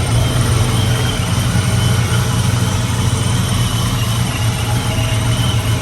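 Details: 99-04 Mustang GT/Cobra V8 with ProCharger after new serpentine belt and smaller pulley install: steady, even idle with a deep, unbroken rumble and a faint whir on top, no knocks or belt slipping; runs clean.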